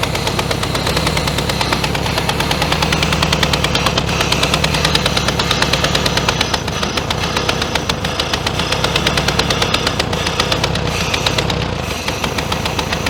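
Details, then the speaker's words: 1966 VW Beetle, dormant over 10 years, running only on fuel squirted in and a hand choke: a loud, uneven, lumpy, popping run with backfires that won't keep going. Plugs are suspected, possibly an intermediate jet issue. "we can see we didn't get it to sing we might have to change the plugs in it too they might be pretty crappy"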